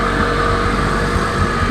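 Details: Vauxhall Astra J VXR with forged engine build, started (possibly a cold start), already run and leak-checked; steady idle, constant mid-pitch intake hum over an even low rumble, smooth, induction noise normal.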